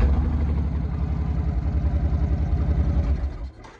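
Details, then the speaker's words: 2005 Suzuki C90 (Boulevard 1500) V-twin after cleaning both dirty fuel injectors that caused a dead cylinder: even loping idle with both cylinders firing, exhaust slightly lopsided from a baffle in only one pipe; runs great. "the exhaust does sound a little lopsided and that's cuz it is um the customer got a baffle in one and not in the other but anyway Run's great now happy customer"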